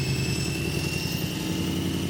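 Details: BMW M3 V8, six-speed manual, abandoned and undriveable: rough, uneven idle with a thin, steady whine on top. Abnormal engine noise; source unknown, could be engine or gearbox.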